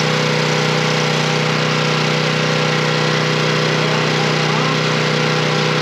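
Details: Coleman Powermate 3250 W generator, 6 hp Briggs, after reworking the cracked plastic fuel inlet, no longer leaking gas, test run with choke on: steady, fast, even buzz, no misfires or knocks; running smoothly.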